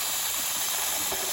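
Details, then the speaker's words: Nuwave 13-quart electric pressure canner after canning bacon ends, valve turned further under a towel: steady hiss of steam rushing from the vent with no low rumble; normal venting. "I'm going to have to go back to TV and see if when I can lift the lid off after this releases."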